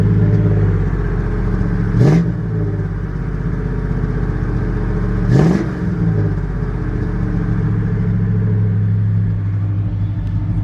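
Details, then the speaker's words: Square-body truck V8: deep, even rumble with steady firing and a couple of quick blips, slightly more bark than the owner likes; engine runs healthy. "This one sounds good too. This is a single plate."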